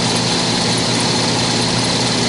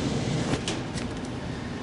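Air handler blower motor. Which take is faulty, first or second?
first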